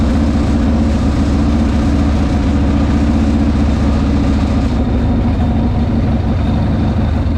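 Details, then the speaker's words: 1998 Harley-Davidson Sportster V-twin after Dynatek ignition install with static and dynamic timing set: steady, even lope with solid low thump, no knocks or misses; running cleanly, timing may need slight tweaking. "Okay, so we got the timing plug back in, and you're right, you know, oil kind of goes everywhere when you do this, but I might have to tweak it a little bit more, but it sounds pretty good."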